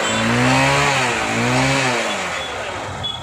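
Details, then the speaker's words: Honda Unicorn motorcycle after fixing a no-start fault caused by a wiring sleeve touching the body and cutting current: it revs up twice and settles smoothly with an even exhaust note, starting and running normally. "Okay friends, வண்டி வந்து நல்லாவே start ஆகுது."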